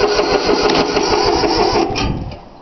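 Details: 3-cylinder Yanmar diesel cold start after glow plug heating: steady rhythmic cranking chugs that never catch and fire, then it winds down; fuel lines weren't bled, leaving air in them, though it usually starts right up.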